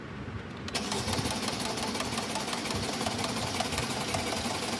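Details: 2012 Mercedes-Benz E63 that cranks but won't start, with the fuel gauge showing 20%: the starter spins briskly and evenly for over four seconds with no firing at all, pointing to fuel starvation; fuel pressure and electric pump being checked. Crank, no start.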